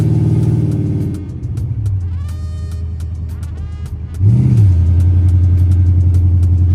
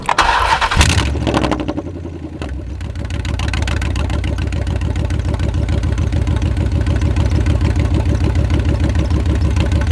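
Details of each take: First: Chrysler 300C 5.7 Hemi with long-tube headers, after replacing missing driver-side header bolts that caused clunking: deep, even V8 rumble with a quick rev blip and no clunks or ticking; normal exhaust note. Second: Chrysler 300C 5.7 Hemi with long-tube headers, driver's side header bolts missing: engine catches and settles into loud raspy idle with sharp ticking puff each firing pulse; exhaust leak at header from missing bolts.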